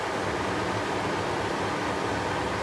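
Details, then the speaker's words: Mazda RX-8 rotary just shut off after overheating and spitting coolant, engine really hot: steady even whooshing of the radiator cooling fans running with the engine off. "my fans are running this is just my fans that's all"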